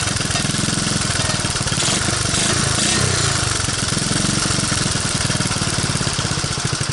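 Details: 1985 Honda ATC125M single-cylinder, previously seized, revived with a hacked PZ27 carb on a rotated intake manifold and portable 12VDC CDI, on a cold start with choke and throttle: a quick, even thump that picks up with throttle; runs properly, normal running.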